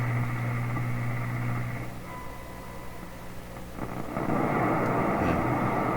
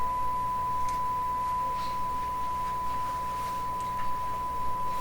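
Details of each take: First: Canadian General Electric K60 radio during IF alignment, about 455 kHz injected at the antenna: steady test tone heard at only one dial point then static while tuning; injected frequency is not hitting the IF. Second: Canadian General Electric K60 radio during IF alignment: steady pure mid-pitched 455 kHz test tone over a faint low hum, injected at the antenna, passing cleanly through the IF.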